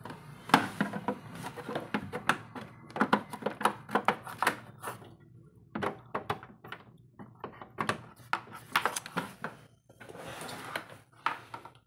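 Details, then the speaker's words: HP LaserJet 1005 MFP printer after fuser unit replacement and service, powered on: irregular clicks and clunks as mechanism cycles through warm-up; normal, clean power-on startup. "So power on చేసి చూద్దాం."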